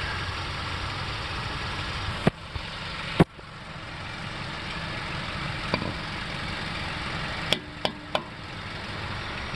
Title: 2006-2011 honda civic Click noise when turning steering wheel,8th gen cv axle replacement 08 civic